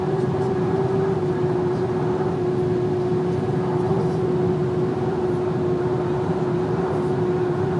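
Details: VW Amarok driving slightly above 120 km/h; thin steady high whistle over constant road and wind roar, source undetermined.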